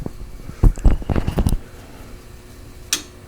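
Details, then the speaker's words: JVC JR-S600 receiver (title says JR-S200) after warm-up: bursts of loud popping and crackle in the left channel, then sharp relay clicks as it cycles in and out of protection; traced to the left preamp stage. "You can clearly see the left channel, it's got some noise. Okay, you can hear it clicking in and out of protection. You can see the meters just going nuts on the left-hand side."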